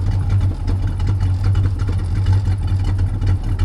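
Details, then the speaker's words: Hot rod V8 during timing and idle adjustments, heard from the rear: lumpy deep idle with an uneven throb and light metallic rattling underneath, sounding like a loose exhaust pipe. "I hear a little bit of a exhaust pipe noise sounds like something rattling under there"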